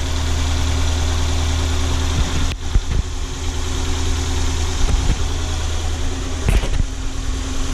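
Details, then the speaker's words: Ford Focus 1.6 after engine overhaul for knocking, with new oil and new coolant, warm engine; low steady even idle hum with no knocking or ticking, normal idle. "новую охлаждающую жидкость залил вот так вот работает двигатель"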